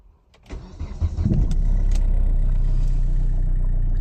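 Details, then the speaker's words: Hyundai Verna 2010 1.5 CRDi U1 diesel after a tank dose of Liqui Moly Diesel Purge: quick start, then an even, steady diesel idle with no knocks or misfires, softer and quieter than the harsh idle before treatment. "तो गाड़ी quick start हो चुकी है। Noise level definitely come है पहले से comparison में।"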